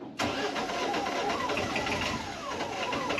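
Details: Newly installed Cummins truck engine repowering a 78-foot aluminum yacht, first start after air in never-used fuel lines: starter catches quickly, engine fires into a steady even run with no stumbling; clean healthy start.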